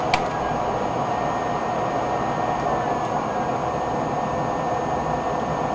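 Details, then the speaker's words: HP Pavilion Media Center PC, fans slowed to 85% in software: steady, even, really quiet whoosh with a faint hum, no ticking or rattle; the displayed RPM readings are said to be inaccurate. "listen to this other one wow really quiet now let's bump it up to 100% and let's drop it back down to 85 cuz that's as low as I'm going to go"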